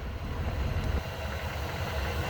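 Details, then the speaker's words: 1974 Ford F100, carbureted, restarted roadside after exhaust bang and blown ignition module leads; vacuum advance slightly draggy: steady even low rumble, no misses or knocks. Normal idle. "All right. I think we're gonna get down the road though. She's a runner."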